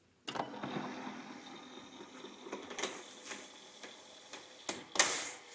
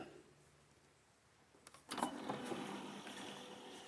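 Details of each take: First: Brand-new 8 ft Minn Kota Talon deploying after silicone lubricant was sprayed on the spike and internal mechanism: low steady motor hum with light clicks, no squeak, fixing its squeal. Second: Brand-new 8 ft Minn Kota Talon shallow-water anchor, strapped to the boat and deploying fully: electric drive whirs with a thin high squeak partway out, seemingly from dry rubbing of the sliding arms; quiet in the garage, squeals on the lake; retraction otherwise silent.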